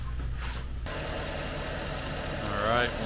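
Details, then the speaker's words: 2013 Porsche Cayenne S 4.8L V8 after replacing the torn air-oil separator diaphragm that caused loud hissing and MAF implausible codes: steady, even idle with smooth low rumble and no hiss or whistle. "all back together make sure you have uh no more hissing noise and you should be good to go"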